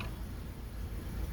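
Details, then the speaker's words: 2013 Dodge Avenger 2.4L four-cylinder, idle at about 800 rpm after spark plugs were replaced (it had run on three cylinders) and a holed thermostat housing was dealt with. Low, steady rumble with no misses; normal idle. A 200 rpm surge under constant throttle remains unresolved. "just idling it seems like it's island pretty smooth about 800 rpms"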